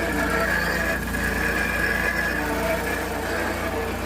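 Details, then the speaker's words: Kawasaki Mule FXT Pro after an engine swap, first start at idle: steady rumble topped by a harsh, constant whine and rough growl from the alternator. Engine sounds fine; alternator bearing suspected worn out, replacement planned. "Alternator bearing sounds like it is done ski, so I guess I'll order one of those."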